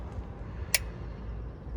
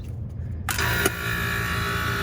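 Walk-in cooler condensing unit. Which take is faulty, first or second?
first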